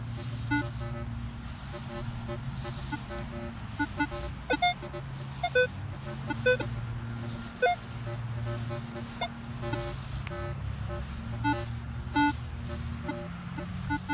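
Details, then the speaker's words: Minelab Equinox 800 in multi-frequency mode after re-ground-balancing: short, high, non-repeating chirps scattered over a steady hum, suspected iron reading very deep and not pinpointing. Erratic chirps, cause not confirmed. "All those little chirps. Hear that? How it's not repeating? Well, that is. But I'm pretty sure that's iron."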